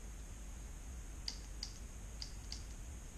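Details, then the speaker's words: GM 4L60-E transmission shift solenoid bench-tested with a 9-volt battery: four sharp, light clicks over a quiet hum as it switches on and off; solenoid passes. "gonna just connect it to the 9-volt battery it doesn't matter positive negative and you just listen for a clicking sound try that one more time I'll get you a little bit closer okay so we heard this one clicking"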